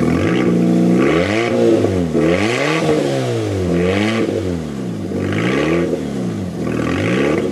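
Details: Fiat 500 that broke down sounding like a hot rod and would not exceed 40 mph: exhaust failed at the rear back box, effectively a delete. Revved up and down with a loud, raspy roar swelling on each blip; exhaust leak before replacement.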